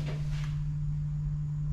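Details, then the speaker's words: Fuel pump powered directly to drain the gas before removing the tank ahead of an E85 conversion. A steady, even low hum with constant pitch and no surging or rattle. The fuel pump is running normally. "she goes I'll see here until it doesn't sound like it's filling up anymore"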